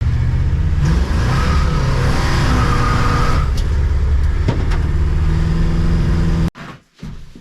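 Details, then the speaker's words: Oldsmobile Cutlass V8 after adjusting the carburetor AVS air door: pulls cleanly right off idle, rumble climbing smoothly without stumble or flat spot; the bog is gone. "I folks uh it appears the U bog is gone um you step on it it takes right off right off the idle so that tells me the bog is taken care of"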